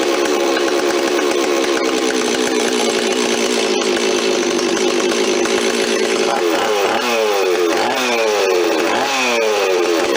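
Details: Rebuilt Stihl 026 two-stroke chainsaw, parts saw restored with aftermarket parts, first run on fresh high-octane fuel, no bar or chain fitted: crisp buzz holding steady, then blipping up and down cleanly while the mixture is set by screwdriver; normal running.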